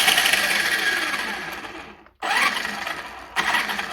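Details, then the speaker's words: Traxxas Slash brushless motor after the loose magnet was reglued to the shaft with green threadlocker and cured 24 hours; earlier it screeched under hard braking or starts. Now it whirs smoothly in throttle bursts, no screech, maybe slight gear noise. "might be a little gear noise but there we go that was it"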